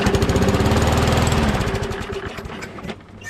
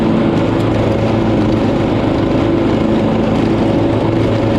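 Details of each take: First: Small engine, primed, catches with a fast regular chug, then the beat weakens and dies within seconds; owner suspects the carburetor diaphragm is not pumping fuel, so it is starving of fuel (unconfirmed). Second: Poulan PXT12538 lawn tractor started after heavy rain, with the fuel shutoff reopened, gas added and oil checked, gives a steady, even drone with a constant firing beat and no knocks, misses or surging; nothing was wrong with it.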